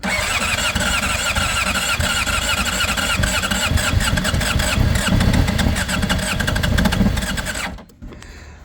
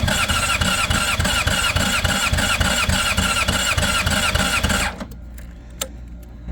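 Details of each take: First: 2005 Honda CBR600RR, about 38,000 miles, long unused, on a booster with injectors primed: long cranking, then it catches and revs roughly, running several seconds. Little blue oil smoke at first, antifreeze leaking; starts after long storage. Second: 2005 Honda CBR600RR, about 38,000–40,000 miles, after long storage, weak battery with booster: steady fast starter churning, nearly catching, then cut off, injectors still filling; it starts shortly after.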